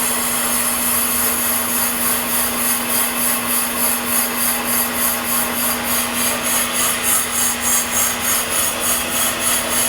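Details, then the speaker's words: New Ranger RL-8500 brake lathe machining a brake drum at feed about four: steady low hum with gentle even swish, no chatter or singing; clean, correct cut. "now you notice you don't hear it chattering or singing when they chatter chatter and sing it's not a good thing"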